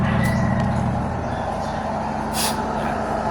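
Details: Dryer that hummed but sometimes wouldn't spin, after adjusting its loose brake cable: a steady low motor hum and even whir as it now spins freely at speed.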